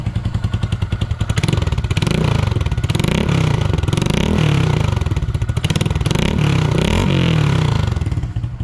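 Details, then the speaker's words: 2022 Honda Grom just fitted with a cheap Amazon aftermarket exhaust, baffle in, at startup and idle: quick, even exhaust pulses with a couple of clean blips, quiet, steady note; small single running healthy. "i swapped over the exhaust so we'll give her a startup she's got the baffle in so see how she sounds oh she's quiet she's quiet"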